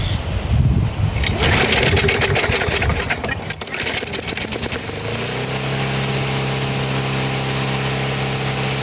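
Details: Older Briggs & Stratton 3.5–4.5 hp mower engine with carb on metal tank, after carburetor diaphragm replacement and cleaning, primed: rough pull-start clatter, then it catches and settles into a steady, even drone after about five seconds. Running fine.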